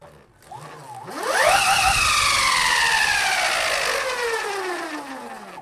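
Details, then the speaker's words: Giant 3D-printed LEGO go-kart, sensored brushless motor on flexing bracket driven by VESC speed controller: whine climbs slowly from low pitch to high steady tone; smoother start than sensorless motor but little starting torque. "it's definitely got a smoother start but still not much torque there to get going"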